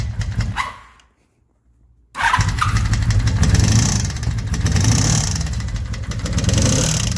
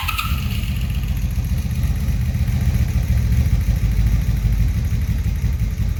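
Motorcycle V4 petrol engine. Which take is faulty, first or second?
first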